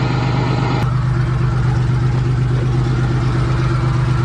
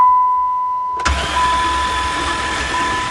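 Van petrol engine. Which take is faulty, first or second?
second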